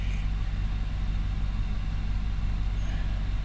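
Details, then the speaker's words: 2019 Nissan Armada warm idle, coolant at 71°C, after throttle body cleaning and idle air quantity relearn: a steady, even low hum with no stumble, miss or hunting; it idles smooth at the correct speed. "And it is idling good. I mean, it looks like it's idling smooth. It's idling right where it needs to be."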